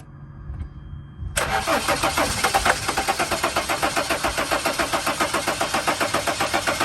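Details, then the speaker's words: 2006 Dodge Sprinter diesel van, crankshaft position sensor fault blamed: steady starter cranking near four compressions a second with starting fluid sprayed in, but it never catches. One glow plug missing or disconnected, battery at 12.2 V, crank no start. "So it looks like it's not gonna work with this stuff."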